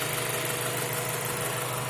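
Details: 2000 Acura Integra GSR, fully rebuilt engine with 20,000 km: steady idle with fast, light, even ticking, loudest near the fuel rail and also steady at 2000–2500 rpm; owner suspects the valves need adjustment, unconfirmed.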